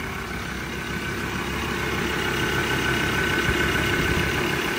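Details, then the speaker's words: Japanese 3.2-litre common-rail diesel at auction, with a fairly new fuel filter, put in four-high: steady even idle, smooth low rumble with a faint constant whine on top; sounds healthy. "well she goes in the gear I don't know what that does but she sounds alright"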